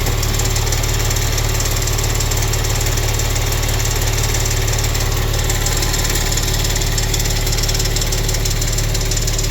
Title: Ticking sound under right side turbo 2014 Maserati Quattroporte SQ4